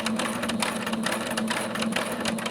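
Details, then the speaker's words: Long-unused domestic sewing machine running before cleaning: fast, loose clattering beats with a tinny ring, something sounding like it's moving, with a bobbin problem. Dust and fuzz cleanup and oiling later made it quieter. "I don't know why, and that's the reason why I probably stopped, but something sounds like it's moving."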